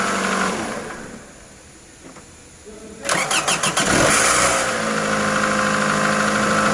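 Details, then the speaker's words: 2010 Toyota Camry 2AZ-FE 2.4L after camshaft and VVT-i gear replacement for P0335 code: starter cranks briefly, engine catches quickly and settles to a steady even idle with no knocks; check light off, starts and runs cleanly. "हां हां तो दोस्तों गाड़ी की starting बिल्कुल okay है और गाड़ी में कोई मसला नहीं है"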